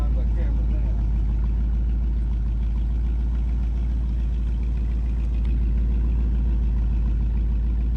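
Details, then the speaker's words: 1958 Chevy Biscayne hot rod V8 with an Edelbrock carb put back in its original position: a deep, steady idle with no misses or hunting, set slightly high; normal idle. "okay it all sounds good right well i'd rather my idle high then sit there"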